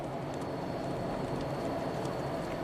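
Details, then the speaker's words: 2014 Jeep Grand Cherokee V6 AWD at 202k miles, road test after replacing the stretched one-speed transfer case chain: steady road and drivetrain roar under hard acceleration from a stop, with no clunk or snap. Drivetrain normal. "it's a really smooth car really quiet"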